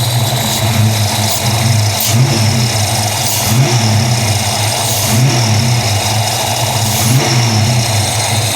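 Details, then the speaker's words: 1994 SN95 Mustang GT, supercharged 347 stroker, previously submerged in salt water: engine picks up cleanly on four quick revs with no belt squeal or slap; a hiss is traced to a part that needs replacing, with a vacuum/boost leak suspected at the throttle body. "Honestly though, it's running great. Lights are working."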